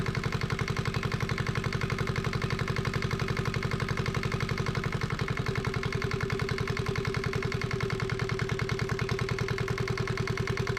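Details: Yanmar 1GM single-cylinder marine diesel from a sailboat, run in a shop, started after bleeding the injector inlet line: firm, even chugging with no stumbles, not bouncing much; normal running.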